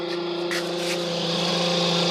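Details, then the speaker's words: Clothes dryer motor running with a steady droning hum and thin whine on top; worn shaft bushing in the bearing housing; greasing the motor-to-tub shaft suggested as one fix. "si el motor del secado se escucha de esta forma, créame que hay dos soluciones."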